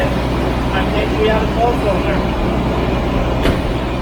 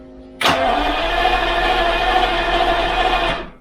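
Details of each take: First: sadly that was a bit of a false positive however there was good news just one minute um it ran on 11 again after a couple seconds so i did the whole thing one more time it ran on 11 again Second: Jaguar XJS V12, cylinder number three cranked with compression gauge fitted, ignition and fuel disconnected: about three seconds of even, unbroken cranking rhythm with no dragging strokes; about 180 psi, so compression is normal and not the cause of poor running.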